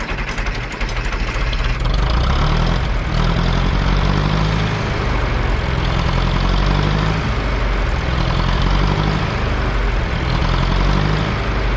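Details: 1968 John Deere 500A diesel tractor (industrial 3020), parked over 10 years: heavy clatter surging and sagging, never settling, no power, dies on its own; rough unstable idle, diesel dripping from injectors, owner suspects brittle rubber boots.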